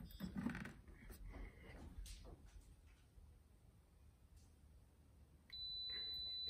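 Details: UV water sanitation system power supply after bulb replacement and sleeve cleaning: handling clatter, then a steady high-pitched tone as it powers up with the reset button held, starting a new 365-day countdown; normal.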